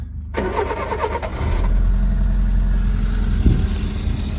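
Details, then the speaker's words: Citroen AX 1.0 petrol engine after valve clearance adjustment (inlet 0.2 mm, exhaust 0.4 mm) to cure tapping: cranks, catches and settles into a steady, even idle, way quieter with no loud knocking; normal. "it's way quieter there's no loud knocking this time or anything yeah should be right it sounds like an old engine now"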